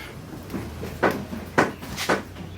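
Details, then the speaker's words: Triumph TR4A IRS, rear bounced by hand: dull clunk about every half second from the rear; owner suspects worn rear shock mount bushings, replacing rubber with polyurethane. "I've been having this weird noise in the back end of the car they only show you if I bounce that you can hear it"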